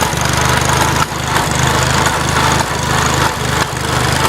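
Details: Farmall Cub tractor after start-up and while driving: a steady low chug broken by sharp irregular pops about once a second; cause unknown.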